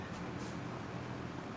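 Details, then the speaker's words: 1998 Lasko 3700 Ultra Force 20-inch box fan on low: soft, steady airy whoosh with faint low hum, no ticks or rattles; quiet enough to sleep by, running normally. "that is definitely quiet enough to where i can sleep peacefully without having to worry well not worry but you know huge noise doesn't really sound like anything"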